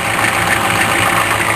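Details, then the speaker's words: Diesel engine on a cold winter start at idle, heard from the front under the hood: fast, light ticking chatter, sharper and brighter than normal clatter, getting rattly; owner suspects a failing vacuum pump. "yeah my vacuum puff is getting noisy it's time for a new V vacuum pump real soon"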